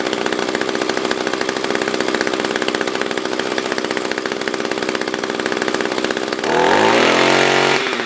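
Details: SRM-210 trimmer after repair (new carb, fuel filter, plug, fresh gas, handle), tank refilled: steady crisp idle, then clean rise to high revs without bogging; normal idle and revving.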